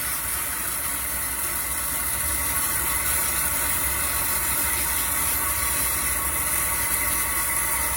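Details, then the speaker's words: Toilet after new flush valve plunger installed to fix intermittent overnight refill spurts from a leak, water turned back on: steady even rush of tank filling with no sputters or stops; normal refill. "Best way to test it, again, once you've installed the new one, and we'll go ahead and turn it back on over here. Yeah, it's filling."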